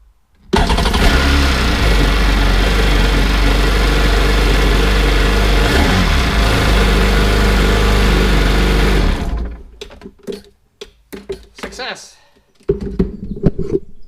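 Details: 2003 Sea-Doo RX DI, reading 12.5 V: the engine catches and holds a steady, even idle for about eight seconds with no knocks or misses, then shuts off cleanly. It sounds healthy.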